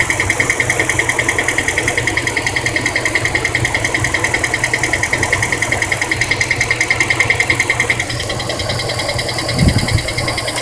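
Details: 2003 Dodge Durango with a used replacement engine: sharp, even ticking about three per second over a steady idle, easing near the end; cured by topping up low transmission fluid.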